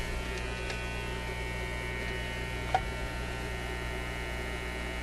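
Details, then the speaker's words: Zenith Y825 vacuum-tube AM/FM radio, rear switch on phono input: steady low hum with buzzy overtones and no programme audio on the phono input; amplifier works, mains hum getting into the audio, no signal from the radio section, cause unconfirmed. "so that's probably going am and FM just nothing but a but a buzz"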